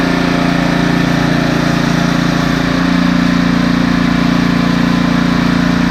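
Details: Husqvarna ST330T/ST332 snowblower that wouldn't start, oil black and smelling of gasoline: small single-cylinder engine holds a steady, even beat with no misses or surging; running smoothly.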